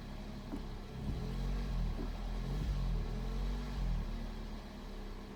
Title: Fluctuating iddle when engine is warm, rough idle